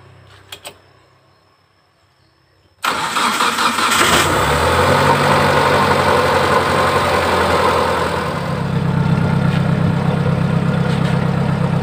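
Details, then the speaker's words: T120SS injection engine fouling spark plugs black within a week, high fuel use, weak power, white smoke: cranks, catches after about three seconds into rough idle, no knock; oil burning past likely worn piston rings or cylinder liner; worn piston rings. "kita cek apakah yang sudah aus ini bisa dari ring Piston yang sudah habis bisa dari liner blok silinder Yogya itu sudah aus atau gentong"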